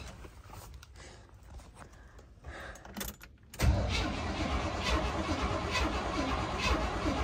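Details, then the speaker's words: 1978 Chevrolet K30 that sat for 24 years, first crank in the field. Quiet at first, then a loud even churning at about four beats a second; it nearly fires but won't run. Choke not yet found. Cranks, no start. "there's no way it just tried to fire there's no way there's no way"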